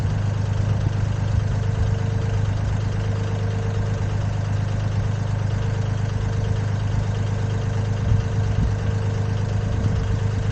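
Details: Komatsu PC10-3 mini excavator (SN 6097), small diesel at low idle: a low, steady, even beat with no knocks or misses. It starts well and has had no problems: normal idle.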